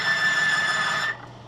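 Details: Junkyard 1957 Chevy 235 six with solid lifters on a load-test demo: steady shrill squeal under load, around 20 psi and 8 amps, cutting off abruptly when load is released; metal-to-metal contact scoring the bearing race.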